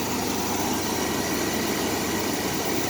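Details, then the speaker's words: 2001 Chevrolet S10 Blazer 4x4 4.3, 165,000 miles, first run after sitting 2 years on two-year-old gas, no check engine light: even steady idle hum, no stumbles or misses. Normal idle. "man let's let that thing go running smooth bobby"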